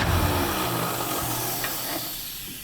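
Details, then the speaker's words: 1977 Ford F150 4x4 barn find, sat about 20 years, after driving back to the shop: rough, faltering running with a breathy hiss, nearly stalling; a major vacuum leak is suspected, not yet found. "yeah she's running really really rough we got a lot of work ahead of us but I think we can fix all that"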